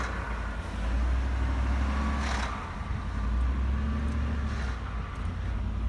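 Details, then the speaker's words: 2018 Ford F-150 with the 5.0 Coyote V8, cold engine, lifting off the throttle: a rough drone with short metallic rattle bursts, located by microphone at the VCT solenoid area; a known rattle-on-deceleration problem. "it does the rattle on deceleration problem it's where the engine is cold and you push the gas wet off the gas and it makes a r sound on the vct solenoids"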